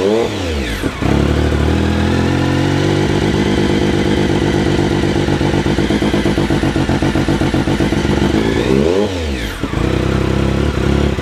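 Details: 2006 Triumph Speed Triple with MIVV GP pipe, map 20272: stumbles and pops with a choppy exhaust beat at light throttle, approx 1500-3500 rpm: light-throttle misfire.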